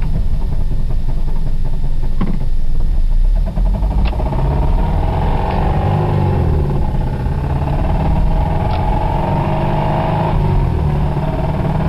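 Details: 1991 Toyota Celica ST petrol engine running with a deep heavy rumble and rapid knock from a bad rod bearing; it threw a rod about 15 minutes later.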